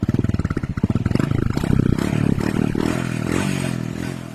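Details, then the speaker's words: Carbureted Honda Beat scooter that clicked on the starter but wouldn't start, now refuelled after running out: even, steady single-cylinder idle and a smooth rev blip with no hunting; normal idle. "Oke, ini udah nyala ya. Nah, alhamdulillah. Tidak berebut mas bro."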